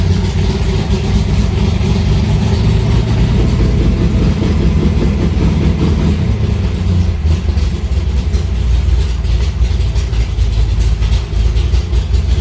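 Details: Alumacobra (Cobra) V8 started in the garage after two months unused, to circulate oil; deep, lumpy idle holds steady and even with a strong low burble and no knocks or misses. Healthy, normal idle.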